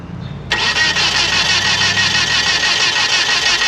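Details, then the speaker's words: 1997 Nissan Altima, crank no start: the starter turns the engine at an even beat, about three per second, for several seconds without firing. Compression test shows none on cylinder one; timing chain suspected. Needed distributor, plugs and wires. "No compression. Connection. New one. So cylinder one has no compression."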